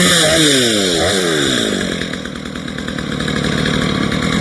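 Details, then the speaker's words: Stihl MS230 chainsaw after tune-up, cleaning and sharpening, cutting wood: crisp two-stroke revs cleanly and pulls steadily through the cut; running well, idle speed slightly low and then adjusted. "can't complain about that. Pretty good."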